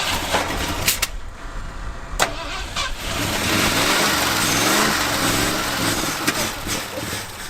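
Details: Abandoned 1977 Ford plow truck, carburettor bowls primed: revved hard to clear it out, surges but runs ragged with uneven pops and stumbles as if short of fuel; fuel supply suspected, not confirmed.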